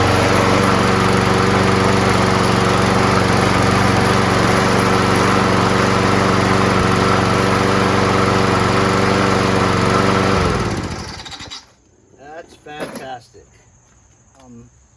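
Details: Free trash-find Craftsman self-propelled front-drive mower with 6.5HP Briggs & Stratton Quantum engine, after carb clean, primed and propulsion tested: steady, even drone at constant speed for ten seconds, then winds down cleanly to a stop; healthy engine.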